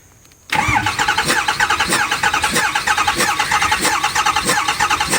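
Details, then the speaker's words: 2008 Ford 6.4 Powerstroke diesel with a cylinder contribution code, compression test on cylinder 6: uneven, lopsided cranking at roughly ninety beats a minute; cylinder 6 reads 50 psi versus 400 psi on cylinder 8. "Alright. Same thing, 50 psi. Well, that's exactly why you don't look at it and think that the scanner is telling you the problem."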